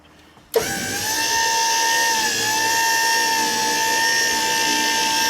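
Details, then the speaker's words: 1980 Skyjacker bucket lift after greasing the turret and lubricating its gears and worm gear to remove squeal and grinding: smooth, steady drive whine as the turret rotates, with no squeal or grinding; much quieter. "Much quieter on that turret. Much better."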